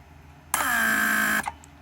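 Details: Rebuilt Mercedes W140 500SEL door lock pump on bench, trunk handle circuit: steady buzzing hum just under a second then clean cutoff; pump output above spec, normal operation.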